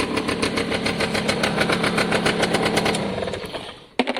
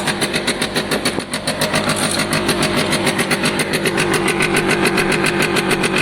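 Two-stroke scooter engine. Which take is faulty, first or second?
second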